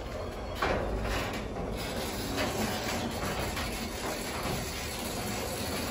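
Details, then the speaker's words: Garage door opener after fixing a safety sensor that had lost alignment with the opposite sensor; continuous mechanical whirr and chain rattle as the door travels without stalling or reversing, normal operation. "That's how it should work, guys."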